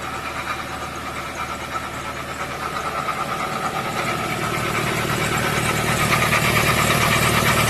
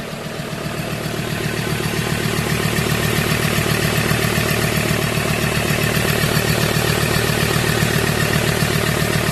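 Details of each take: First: 2015 Ford Transit 3.2 diesel: a loud, rough idle with an uneven knocking chatter, about three beats a second, caused by a failing drive belt idler pulley. Fixed by replacing the pulley. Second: 2015 Ford Transit 3.2 diesel van after replacing the drive belt idler pulley that caused a loud rough idle: steady, even diesel clatter with no roughness or surging; normal idle.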